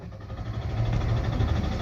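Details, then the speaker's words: Hyundai Aura CNG-plus-petrol car, CNG light blinking at key-on, stalled after refuelling: starter turns over steadily for two seconds, never catches; crank-no-start. "చూసారా short కాలేదు ఓకేనా ఇదే customer complaint"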